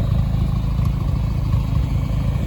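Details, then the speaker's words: 1993 Nissan Hardbody with KA24E engine and stage 1 cam, idling: low steady idle with a light, busy rattle from the cam's valvetrain, normal for the performance cam, nothing worrying. "But you can kind of hear that stage 1 cam rattling away, so."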